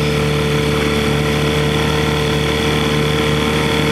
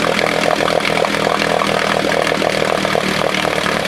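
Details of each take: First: 1968 Johnson 6hp outboard on a stand, after its speed adjustment was leaned out a bit, holds a steady, even drone with no misses or surging; it runs clean and smooth. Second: 1968 Johnson 6 hp outboard running: loud, fast, raspy two-stroke buzz with rattly mechanical clatter; noise traced to a part held by hand, not under the flywheel as first thought.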